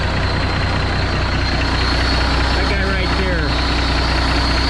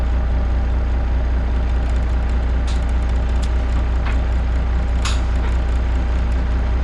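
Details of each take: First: Kenworth K100E Aerodyne cabover diesel at idle: a steady high hiss from the 13-speed transmission's valve splitter stops when covered with a finger; owner suspects bad O-rings; air leak at splitter valve. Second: Kenworth K100E Aerodyne cabover diesel after replacing the 13-speed transmission splitter valve O-ring, air at 60 psi; deep steady idle with no hiss, only a few brief clicks. No air leak.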